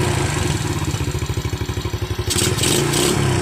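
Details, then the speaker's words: Yamaha Jupiter Z revived after years dead following ignition, fuel, engine and air checks and new oil; steady, even idle putter, oil reaching the valves and exhaust still smoking from long storage; it idles cleanly, then hiss covers it. "Ini ya, motor ini sudah hidup lagi."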